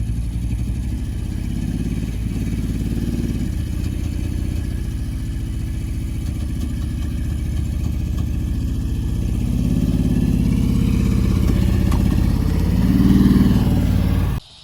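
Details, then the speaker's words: BMW M6 V10 6-speed manual, barn find, revved hard with clutch slipped to climb onto trailer: lumpy, uneven beat, one bank shut down, running on roughly four or five cylinders. "So, here we're trying to load it on the trailer, but because it's shut down one bank, it's only running on five cylinders or I think four at this point."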